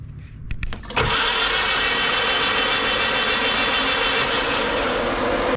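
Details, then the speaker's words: 500 hp Miata after it broke during pulls: idles smoothly on all four cylinders with the exhaust much louder, but a hard metallic grind rides over the engine. Source unknown; the owner hesitates to pull the transmission. "it's idling completely fine like on four cylinders and smooth and everything and there's a metallic like grinding"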